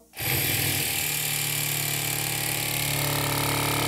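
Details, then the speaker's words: BMW F-series air suspension compressor after repair, bench-tested on a 12 V battery and under pressure: steady high whirring hum with an even pulse, no rattle or labouring; normal compressor operation. "You can hear the different sound. Now this air compressor is under pressure."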